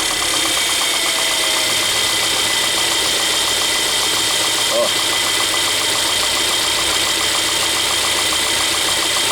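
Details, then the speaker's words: Mercedes A200/B200/GLA200 1.6 turbo at idle, water pump behind the pulley under the front: constant high metallic whir with fast light ticking, a noisy water pump bearing needing major front-end disassembly to replace. "um barulhinho nela aí ó beleza sente um ruído nela aí ó"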